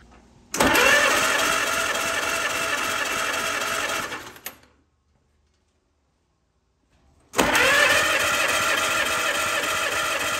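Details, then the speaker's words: 1944 Allis Chalmers B tractor, once very hard to turn over, starter rebuilt with broken drive gear pieces replaced; cold starter check spinning the engine with spark plugs out for a compression test; two bursts of brisk, even whirring with no drag or grind, healthy. "it spun the engine fine just like it did here with the compression test with all the spark plugs out but then when i got all the spark plugs back in it didn't seem to have enough power to turn the engine over so this would be the final test for the starter"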